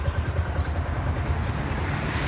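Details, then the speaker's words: Yamaha Grand Filano scooter after repair of a cracked valve guide and bent valve, reassembled with fresh engine oil, no engine warning light: steady low exhaust putter, even pulses, no ticking or knocking; normal running. "สตาร์ทอยู่นะครับก็ประมาณนี้เลยนี่เลยไม่มีไฟเครื่องโชว์นะ[เพลง]ครับก็ประมาณนี้นะครับฟังเสียงเครื่องก็ประมาณนี้ได้"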